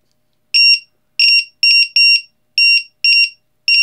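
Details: Lithium battery tester with low-voltage buzzer on a multi-cell LiPo pack: repeated bursts of shrill chirping beeps with silent gaps as a cell reads below the threshold.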